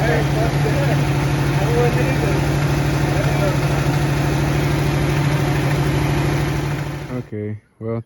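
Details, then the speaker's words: 1967 Mustang V8 fired up again while rear drum brakes are being worked on: smooth, even idle with a steady low beat of about three pulses a second, no misses or knocks, good oil pressure, then shuts off; normal idle. "got it fired up again my boy fle Joy see what it sounds [Music] like got good oil P"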